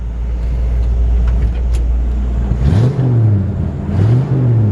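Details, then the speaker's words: Old Ford truck, 302 V8 with C4 automatic, at idle then two throttle blips, heard under the hood: deep even idle, clean revs, no misses, knocks or exhaust leaks; healthy engine. "nice sounding engine clean and healthy no smoke pop the hood real quick and let you just hear how clean it sounds under the hoods nice no exhaust leaks or"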